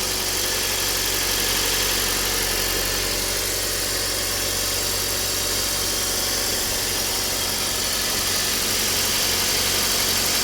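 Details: Kia Cerato engine at idle: loud hiss with a fast, fairly regular knock about four per second. Engine knock of unclear cause.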